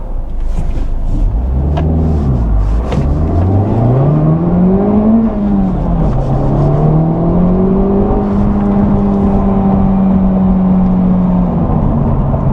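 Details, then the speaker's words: Honda Civic Type R after rear motor mount upgrade, flooring it on a road where it previously had wheel hop: engine climbs smoothly under full throttle with no driveline judder or chatter, no wheel hop. "So that was flooring it, and as you can see, no wheel hop."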